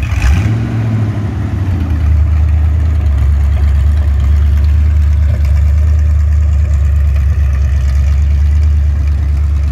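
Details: Ford 302 Windsor V8 on an engine test stand, first run in 12 years: a deep, even burble with a quick blip and no misses or knocks. No smoke and good oil pressure; the temperature reads high, likely a wrong sender.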